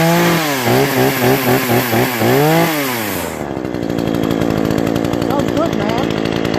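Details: Brand-new Remington Outlaw RM4620 20-inch gas chainsaw after its first start: crisp revs rising and falling, then a steady even idle with no stumbling; running healthy.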